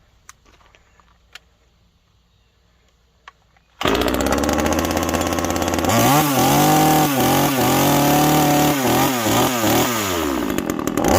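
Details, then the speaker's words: TimberPro generic 25cc top-handle two-stroke chainsaw, about 10-inch bar, first start after three years in storage with little fuel left in it; fires after a short silence, revs with a blubbery, uneven burble wavering on throttle; sounds way rich. "but it sounds way rich basically this is a generic 25 cc chainsaw off of anywhere"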